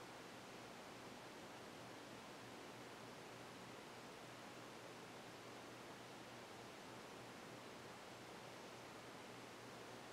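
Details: 1992 Casablanca Delta II four-blade ceiling fan on low speed: soft, even rush of air with a faint steady low hum, no ticks or wobble, running smoothly.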